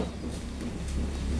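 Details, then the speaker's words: Motorcycle at ignition on with seat removed: only a dull low background rumble, no short fuel pump priming whine; bike won't start and MIL blinks code 12. "sini tidak muncul suara ngiung tuh saya kontak Nah jadi letak permasalahannya sehingga motor ini tidak mau menyala Pak ini dikarenakan Pul PAM tidak dengung"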